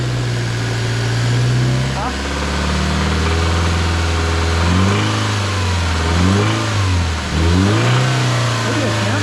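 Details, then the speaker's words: Subaru BRZ with a used replacement engine, revved up and down under load: faint rattle over the engine note that fades at times; cam phaser suspected rather than rod knock, unconfirmed, plans to pull the pan and check for metal. "favor do it when it's under load it's it's a phaser I bet so you could kind of hear it but if it was a knock it'd just be like yeah"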